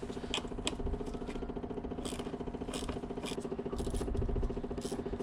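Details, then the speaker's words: Car that sat long with a drained battery, new battery fitted, key on, engine off: quiet rapid clicking of three to four per second from an HVAC blend door actuator hunting; suspected battery drain, unconfirmed. "not sure why that blender actuator is still clicking that may be what's killing this"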